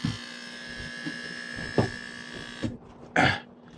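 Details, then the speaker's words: Aquarium air pump found off; plugged back in, it gives a steady mains buzz with a thin high whine and a few handling knocks but pushes no air out, though it still gets power; pump judged bad. "Well, then I went to plug it back in and listen to this. It's really not pushing any air out."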